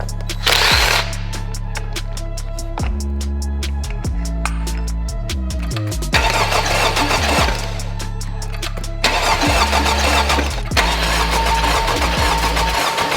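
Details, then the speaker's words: Totaled 2021 Honda Civic Type R being rebuilt, missing parts; repeated bursts of steady starter cranking under music, never fires. Cranks, no start, no spark at multiple grounds; owner suspects a tripped crash sensor, unconfirmed. "as you guys saw we are not getting any sort of spark I checked from multiple different grounding points on the car"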